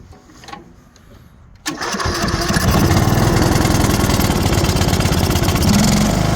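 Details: Briggs & Stratton 18HP mower engine after resetting and crimping a lifted valve seat, relapping the exhaust valve, cleaning and adjusting the valves and fitting a new carb; cranks briefly, catches at once and runs steady and even with no misses.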